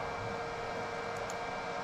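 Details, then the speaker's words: HP Z440 workstation board bench-tested with Xeon E5-2686, 32 GB RAM and R9 280 GPU: loud, steady airy roar with a faint whine, fans flat out. Owner suspects the missing, undetected front and rear chassis fans; unconfirmed. "I mean it's working fine other than the fans being wide ass open"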